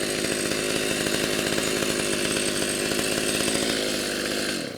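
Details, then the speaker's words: Freshly rebuilt Stihl MS390 chainsaw, previously straight-gassed, new cylinder kit: screams at high, thin, slightly hunting revs, then dies away; owner says it feels and sounds lean and needs more fuel, not confirmed. "off I need to give it a little bit more a little bit more fuel it feels lean and sounds lean"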